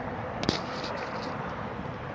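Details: RadRover e-bike ridden on pedal assist 5 with little assist, a single sharp intermittent click from the pedal crank area over wind and tyre rush; cause unknown, a similar bike needed crank disassembly and reassembly.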